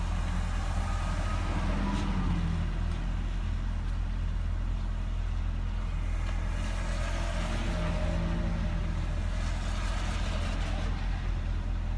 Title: 2007 Nissan Altima Rough Idle at cold start